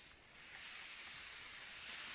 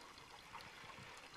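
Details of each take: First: Water tank filling through a newly finished manifold: a steady airy hiss swells and holds as air escapes, showing the vent is working properly. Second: A water manifold fitting dripping while the first water tank fills: a steady trickle and patter of water at the joint, no pump audible. The owner thinks the fitting should have been tightened a little more.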